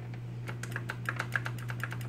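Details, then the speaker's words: Ikon-x laser tag gun (MP5 airsoft-style body) after refitting the side panel during a trigger fix: crisp little clicks, about seven or eight a second, over a steady low hum; the trigger micro switch is clicking cleanly, so the parts are back in place. "you can hear the little click of the micro switch. So everything should be back into place."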